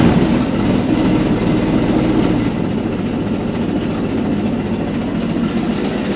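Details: Ford Model T at a slow, even chugging idle right after its rebuilt carburetor was installed, settling a little lower after a few seconds; smooth and steady, running well, normal idle.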